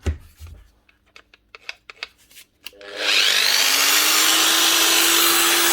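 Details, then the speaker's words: Old variable-speed 110 V angle grinder (Hitachi/Bosch box): a few handling clicks, then it spins up to a steady, fairly low whine at only about half speed; owner first suspected the speed controller, but the cause is a miswired plug. "actually SS Le she only running half speed no thought I might have been 240 volt machine and they just put a 110 volt plug on it but it is 110"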